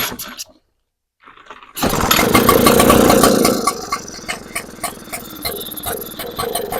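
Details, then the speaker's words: Echo PB-755ST backpack leaf blower won't throttle up: after a couple of pulls it fires and revs briefly, then sags and stumbles. Bogs on throttle; not enough fuel getting through the jets. "Sounds like just air fuel mixture. So, it starts up, it runs, but once you try to trigger a little bit, it wants to bog, which means that not enough fuel is getting through the jets to the carburetor for the demand of your throttle."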